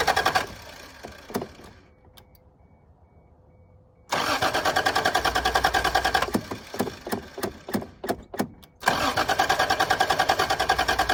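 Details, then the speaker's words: 1986 Toyota Supra, long-sitting, crank test: repeated bursts of steady starter cranking, about three beats a second, engine turns over but won't fire; sounds like it wants to mutter; owner suspects it needs gas or the fuel pump is bad. "Well, she kind of sounds like she wants to mutter something."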